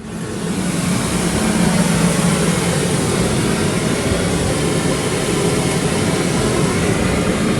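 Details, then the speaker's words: 1120cc engine with 12:1 compression, throttle blipped: it rises cleanly from a low rumble into a strong, even roar without misses. Normal throttle response; it picks up well. "I've got to say I'm really happy with the 1120 it picks up lovely I think it's going to be strong"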